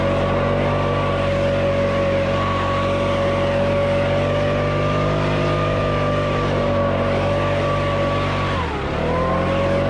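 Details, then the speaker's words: Nearly new 2021 Stihl BR600 backpack blower (65cc 4-MIX engine) running: a steady, even tone that holds pitch and is quiet. It sounds healthy. "sounds great as i know it's very quiet much quieter than my web mats the weight is not bad at all"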